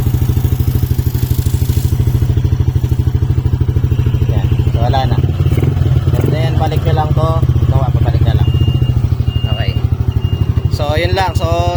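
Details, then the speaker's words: Yamaha NMAX version 2 scooter brought in for a noisy engine, after repair: low, even idle with no ticking or rattle, slightly louder only with the throttle open; no engine teardown needed. "Soin niyo tahimik na ulit yung makina niya. So medyo maingay lang gawa ng naka-open 'tong throttle."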